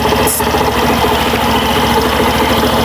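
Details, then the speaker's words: Suzuki Burgman Street scooter idling after fixing noisy CVT (panggilid) that got loud after cleaning, cause linked to the fan belt: smooth steady low putter, no belt squeal or rattle, noise no longer returns. "So ngayon kalma na po siya mga bossing. Hindi na po siya ganon kaingay."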